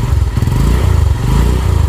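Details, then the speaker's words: 150cc sport motorcycle after work on burnt clutch plates, pulling in gear: a short run of quick, even exhaust pulses with no jerks or clunks, and the engine sounds very smooth. Normal running. "Dia tuh kalau suara suara mesinnya betul-betul halus"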